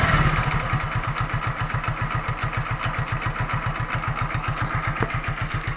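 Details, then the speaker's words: Hero Glamour single-cylinder motorcycle after piston ring replacement and cylinder head refit for white smoke: steady, even idle with no piston slap, crank or timing chain noise. Smoke has stopped; engine sounds healthy. "लेकिन ये गाड़ी आवाज़ बिल्कुल भी कुछ नहीं कर रही है। आवाज़ बिल्कुल सेफ है, इंजन की आवाज़ बिल्कुल अच्छी है और इसकी धुआँ भी बंद हो चुकी है।"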